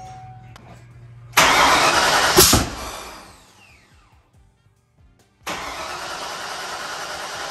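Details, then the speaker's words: 1994 Mustang 5.0 V8, triple turbo, Holley Terminator X, high ram, Anderson N41 cam, Pro Comp heads; first start attempt with fuel pressure present: about two seconds of cranking with uneven catches, then dies. Owner suspects too much fuel; nearly starting. "It's definitely getting closer, but now let's go on here. Try it again. And then it caught. So I still think there's something where we're getting maybe too much fuel."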